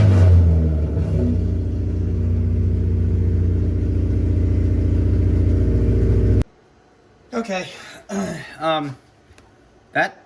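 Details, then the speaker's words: Race car engine, cam timing unchanged: pulls up smoothly and evenly, stable to 4000 rpm with a strong steady note, then cuts; startup was a bit rough. "stable ramping up to 4000 RPMs that sounded strong"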